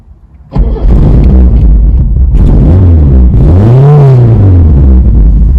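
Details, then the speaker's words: 1970s Datsun 120A Cherry F-II with its 1171 cc engine: catches quickly and settles into a steady, even idle, then revs once smoothly and cleanly; sounds healthy. "she sounds excellent so i'm going to get a start it up now and you can hear what she sounds"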